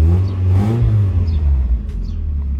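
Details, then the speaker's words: Mazda Miata with new exhaust line, cold engine, light revs kept under 3000 rpm: deep, smooth rumble rising and falling, no rasp or rattle; sounds really good to the owner. Healthy exhaust note. "Mais le bruit m'a l'air vraiment bon là. Je sais pas ce que vous en pensez, j'espère que le son ne sature pas."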